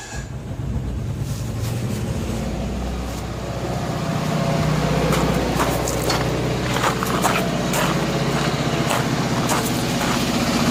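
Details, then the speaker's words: Cold 1980s Kohler 7000 W gasoline generator in a 1963 GM PD4106 bus conversion idles unevenly with an irregular lumpy beat that never settles; choke about 80% off then fully open didn't help; rough running, cause unconfirmed. "it's running rough but it is cold yeah that's not the issue because the choke was uh almost all the way off"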